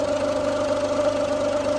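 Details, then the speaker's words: Ford Fiesta that had been standing a long time, warmed up, idling: a steady mid-pitched whine over a soft idle pulse, traced to the belt drive. Owner suspects the tensioner, unconfirmed. "I think it's that that's making the noise."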